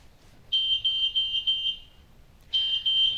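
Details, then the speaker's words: Hill-Rom CARE-ASSIST med-surg bed: shrill, steady electronic tone pulsing in long bursts. The three-mode bed exit alarm, which sounds when a patient tries to leave the bed unassisted. "in the event your patient attempts to get out of bed without assistance and triggers a bed exit alarm you will hear the"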